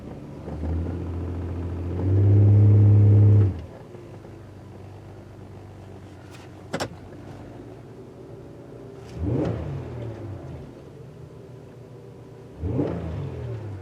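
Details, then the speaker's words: 2009 Buick Lucerne CXL 3.9 on a cold start, no-codes misfire complaint: low uneven stumbling idle with occasional blips; misfire history 16 on cylinder 1, a dead cylinder. "So we do have a miss. I don't know if you guys can see it. Cylinder 1 appears to be the culprit right there."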